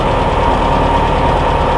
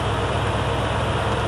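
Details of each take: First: 1976 John Deere diesel combine, cold start on a 30-40 degree night after a dead battery was jumped from an F-150, ether-assisted, clutch pressed: steady even clatter with heavy low rumble; cold diesel idle, charge light out so it's charging. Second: 1982 Ford F-150 with a 302 cubic inch (5.0 L) V8, idling while jump-charging a combine battery: deep, even rumble with a regular low beat and no stumbles or knocks, a good-running healthy idle.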